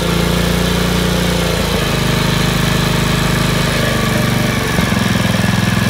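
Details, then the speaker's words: Honda HRC216 commercial gas lawnmower after governor shaft adjustment to raise too-low rpm: strong, steady high speed with a brief dip under load, recovering smoothly; running correctly at about 3100 rpm with blade engaged. "it will pack the bag now like crazy it's getting the full RPMs that it should"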